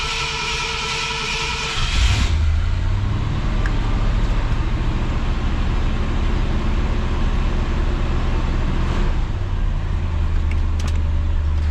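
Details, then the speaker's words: 1966 Ford Galaxie 500 with 352 4V, true cold start at about 47°F after sitting over three months, warming up in neutral: deep, even low V8 rumble that settles in and holds steady without misses or knocks. Normal cold idle. "It sounds good. For being sitting for all those months, it sounds really good."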